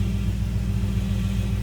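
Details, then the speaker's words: Dodge Challenger SRT idling while the steering wheel is turned: a faint thin whine over a deep idle from a power steering pump the owner damaged; loose parts were tightened. It drives fine and is quiet once moving. "So that's so you can definitely hear like a little whine to it, but that's because I damaged it."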